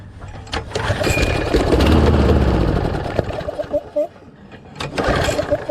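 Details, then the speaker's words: Briggs Quantum mower engine with auto choke that won't stay running; magneto checked out and owner suspects low compression: catches and runs rough about two seconds, then sags and dies leaving weak chuffs. "so it's the next day i've been thinking about it and thinking about it and all i can think of is that maybe it has bad compression"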